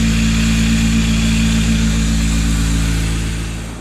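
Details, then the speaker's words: K24-swapped Honda Civic before repair, engine running: gritty whirring hiss over the exhaust hum from a worn-out idler pulley bearing, ruined by a too-tight 50-inch K20 belt instead of the needed 52-inch; fixed with new belt and pulleys. "Here's a before so you know what it sounded like. You hear it's really worn out, the bearings in it are shot."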